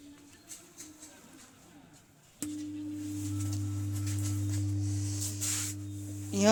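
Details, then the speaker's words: Ordinary home theater system, subwoofer output: steady low hum switches on suddenly and holds one pitch with no program sound; volume and bass controls change nothing, USB board works. Subwoofer hum fault. "इसका subwoofer में जो sound है शायद आप सुनाई पड़ रहा होगा इसका सब ऊपर में साउंड नहीं आ रहा है साउंड आना चाहिए लेकिन इस तरह का साउंड आ रहा है"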